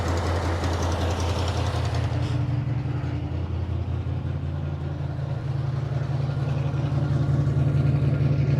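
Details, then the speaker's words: 1957 Dodge Texan after first start from sitting since July 2023: engine idling low and lumpy with uneven pulses about 160 a minute; carburetor squirting from only one jet, probably a huge vacuum leak because its body is loose on the base. "you probably couldn't get very far honestly the carburetor is only really squirting out of one jet has a probably a huge vacuum leak because the body is loose on the base of the carburetor"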